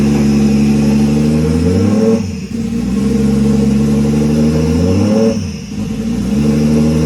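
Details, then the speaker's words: Scion FR-S with a 1JZ-GTE VVTi swap on first start: the idle climbs and falls about every three seconds, repeating. The faulty idle control valve stays open at all times, so the idle cannot be controlled. "There's no way that we could control it, you know. That's why you guys saw that, you know, the car wanted to go up and down, you know, RPM up and down."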